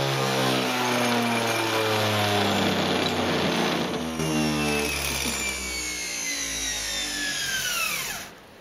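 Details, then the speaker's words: Homemade belt sander with welded, drilled drive drum, motor cranked up fast: rising whine with rhythmic shaking rumble, then coasts down; drum out of balance, to be replaced by a cast, machined aluminium wheel. "shakes the hell out of it so what I'm going to do is uh cast an aluminum version of this and machine it up"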